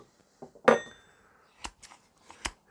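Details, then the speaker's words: Garden hedge shears after sharpening and reassembly, pivot nylon-insert nut backed off 1/8 turn, held up to the microphone: three crisp, clean metallic snips like barber's scissors, no scrape or catch; correct blade tension. "hopefully you can hear these if I hold them up to the microphone. That's the sound that you're looking for to adjust the tension."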